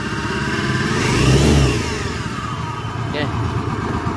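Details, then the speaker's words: Honda Scoopy carburetor scooter with robot-like engine noise: rough, gravelly mechanical churn that swells with revs. "perhatikan suara mesinnya mesin ini jelas ya"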